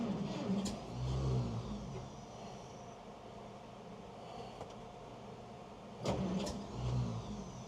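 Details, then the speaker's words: 1927 Chevy truck, not touched in about seven years, with gas in it: cranking catches in short uneven sputters that fade out, never settling, needing heavy choke and more gas; hard starting. "I'm hoping I was hoping to see her just fire right off and run but and I know there's gas in it"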